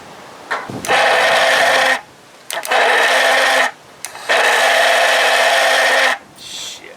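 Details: 1982 Johnson 25 hp outboard that bogs down despite a rebuilt carburetor and new coils and plugs. Three short, sluggish cranking bursts with a steady whir and no catch, despite plenty of voltage: slow cranking, cause unconfirmed.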